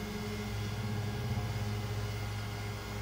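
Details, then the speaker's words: X-Carve CNC stepper motors with the driver potentiometers dialed down toward minimum: steady hum with a rough, uneven, strained buzz; the steppers are barely getting enough current to turn. "big change there it's really struggling dial it down even further and steppers are barely getting enough power to actually turn it"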